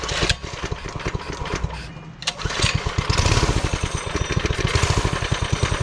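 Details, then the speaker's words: Coleman CT200U-A mini bike with newly installed Hisun 196cc engine, restarted after a rough first test start: uneven-strength single-cylinder firing pulses with surging, hunting speed; runs rough, oil checked good, cause not pinned down. "That don't sound good. Well, let's check it out again."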